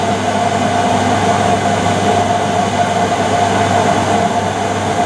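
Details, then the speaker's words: Whirlpool (Siltal) AWG324 D600 4kg 600-spin 33cm super-slim washing machine, mid-1990s: constant hollow roar and rumble through the whole cycle, no rhythm, plus knocking; the drum bearings are gone. "there's a couple of problems with [Music] it they're the bearings on the drum and they're gone"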